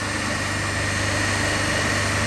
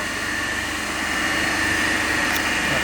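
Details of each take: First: Lab three-phase induction motor coupled to DC compound machines, running single-phased with one phase switched open (zero current and watts in that phase), gives a loud steady growling hum with a heavy low drone. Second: Three-phase induction motor coupled to DC compound machine, running on balanced 230 V per phase supply at no load: steady even hum with constant tone, no knocks or surges; normal running.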